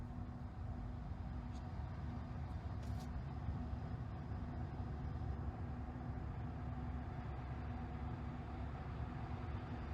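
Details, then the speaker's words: 2021 Tesla Model Y, earlier-built car, parked in cabin with air just turned on: faint, steady low hum with no rattles or surges; normal, unobtrusive climate fan sound. "man now i can hear it too but it's so not annoying and it doesn't get bad it's literally not annoying sound"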